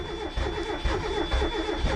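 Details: $100 Mazda Miata that does not run, with spark present and plug wires checked; starter churns about two turns a second with ragged sputters but no start.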